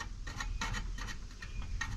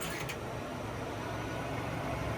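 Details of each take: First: 1955 Willys Jeep CJ-5 heater blower at full speed: faint uneven ticks as the out-of-true hub rim, pressed back by airflow, just barely rubs; fan hub rubbing. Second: 1955 Willys Jeep CJ-5 heater blower after adding a ballast resistor to stop the switch overheating: steady airy rush swelling as the fan steps from low back to high, even and rattle-free; blower runs fine.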